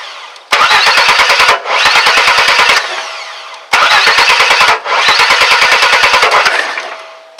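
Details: 2001 Chevy S10 4.3 V6 no-start: rapid even cranking bursts with irregular pops and stumbles, never catches, sounds almost out of time; misfiring from distributor cap shorting internally, not jumped timing.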